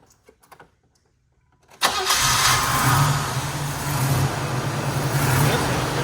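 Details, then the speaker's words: Buick Grand Camino (El Camino custom) with a 305 V8 and aftermarket headers: fires almost instantly and settles into a steady, even, deep idle with no knocks; sounds healthy, though a slight exhaust leak is suspected. "Sounds healthy. Yeah, rev it up a little bit."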